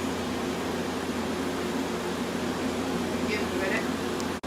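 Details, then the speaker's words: 1986 Friedrich Quietmaster 19,000 BTU refurbished AC with an 18k rotary compressor, heard outside after start-up. Steady, even low hum with smooth fan rush and no knocks; the compressor has settled into normal running. "now compressor has settled and now you can really hear this nicely the 18k rotary when it first starts off it kind of sounds like a rotary"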